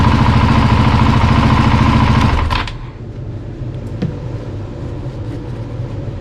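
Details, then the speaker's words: Husqvarna 701 Enduro Euro5 single after rebuild, new thermostat, coolant near 70°C while bleeding cooling system: strong thump settling to a quieter steady idle about three beats a second, no knocking or rattle; normal idle. "so jetzt hab wir ein ersten Schritt schon mal fertig und ihr habt schon gehört h läuft schon richtig schön"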